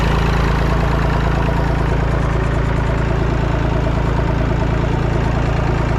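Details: Massey Ferguson 245 three-cylinder diesel tractor (Perkins tag), revived after 12+ years, burnt/melted radiator, driven to barn; even, steady clatter at constant low beat, no misses or knocks. Normal running.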